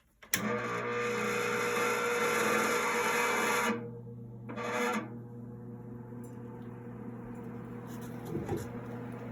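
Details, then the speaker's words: Replacement blower motor in a DIY air cleaner, temporarily wired with the old starting capacitor: kicks on cleanly into a steady low hum with even airflow rush, no rattles or buzzing; normal running. "works much better i think it's quieter than the other one other motor was too but yeah still moves a very bit of air okay perfect"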